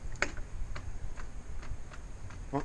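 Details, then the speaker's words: Schwing BPA500 concrete pump at start-up: sharp light ticks over a low rumble and one crisp click, the fuel shutoff solenoid releasing normally; no click means hopper up or an E-stop pressed, a click without starting means a fuel problem. "and you notice the solenoid always clicking yeah he it clicking yeah here it click that's the selenoid releasing"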